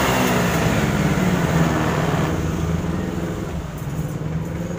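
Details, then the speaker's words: 2017 Honda Beat scooter that would not electric-start, after repair and reconnecting wiring: engine runs with even, steady putter, settling slightly lower; starts and runs cleanly with no knocks or rattles. "Oke, starternya udah hidup."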